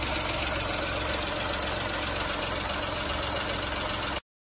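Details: VW Fox 1.2 L 6V three-cylinder (BMD), after repair of a cylinder 2 misfire from a burned exhaust valve: steady, even idle pulse, no misfire stumble, no valvetrain ticking.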